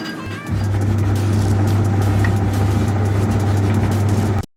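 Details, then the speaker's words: Videocon washing machine in spin mode after the drain motor lever fault that stopped the drum was fixed; the motor now pulls the lever, opens the valve and releases the drum gear lock; steady, even low hum without knocks or scraping as the drum spins freely. "you can see the motor approved that lever to this side and that valve is open now and also the lock from that uh drum rear it's moved so now the drum is gonna move a few seconds"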